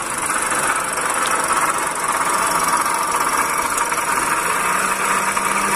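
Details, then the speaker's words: Toyota Calya: loud, rough, continuous whirring grind in the engine bay over idle, sitting in the upper-mid range rather than a knock. The noise seemed loud near the alternator. "Kalian Dengar suara kasar di area mesin the landscape kita dengar suaranya Suaranya sangat besar sekali ini ya"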